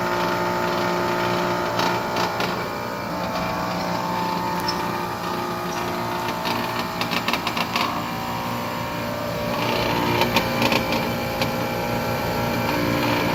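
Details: Outdoor unit of a new Trane XR air conditioner runs with a harsh buzz and rattling that flares in short bursts. The cause is a loose solenoid next to the control board vibrating inside the unit; the fix is to zip-tie the solenoid.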